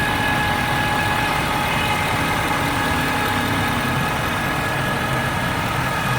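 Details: 2013 Ford F-350 diesel, warm, idling: a thin, steady high-pitched whine above the diesel clatter that occurs only when the engine is warm; seven or eight Ford dealers have not found the cause.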